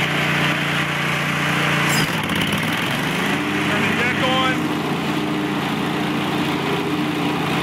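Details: Scag 3-wheel 61-inch zero-turn mower, Kohler 22 hp oil-cooled, on fast speed: engine steadies at high revs, dips as deck blades engage, then settles into smooth even drone; healthy under load, low on gas.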